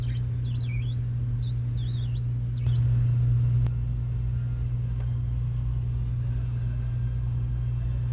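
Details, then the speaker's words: Carbon blade dragged at a low 10–20 degree angle to score XPEL paint protection film on a car: a thin, wavering high squeal over a steady low hum, the normal sign of scoring the film without cutting through to the clear coat. "listen very closely you'll hear a little squeal and that squeal lets you know that you're scoring the film without cutting through it and damaging the clear coat or worse"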